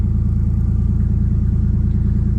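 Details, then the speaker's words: 1JZ engine in a Nissan Silvia S15, knocking after a 2,100 km-old rebuild, started after sitting: low, lumpy idle with a quick, steady tapping over the rumble; internal knock at idle, cause not yet found. "it starts in OS I know I shouldn't be running it with an engine knock"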